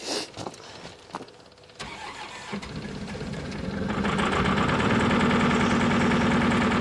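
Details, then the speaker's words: 2019 New Holland L218 skid steer, Shibaura N844LTA 4-cylinder 61 hp turbo diesel, 2,550 hours: it cranks in slow pulses, then idles lumpy as if on two or three cylinders. It pops from the intake at shutdown; possible valve train or timing issue suspected. "feel it's running on two cylinders possibly three and right there you hear that popping noise when you shut it off do believe that is indicating it is something up in the valve train on this side"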